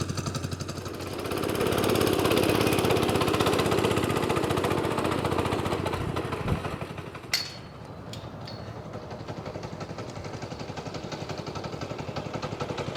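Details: Small single-cylinder replacement engine (glass-bowl fuel filter, electric start, electronic ignition, "7.0" label guessed as 7 hp, two-speed gearbox) fires quickly, rises briefly, then warms up into an even chug of about four beats per second; a normal, healthy start and idle.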